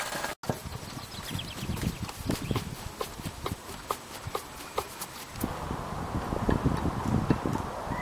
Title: C'est quoi ce bruit.... ...roulement arrière mort